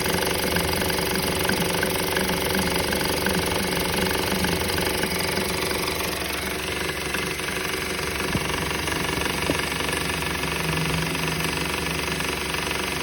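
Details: 2013 Honda Civic idling with a harsh, fairly regular rattle about two or three a second; rattle continues after belt tensioner and belt were replaced, source unidentified.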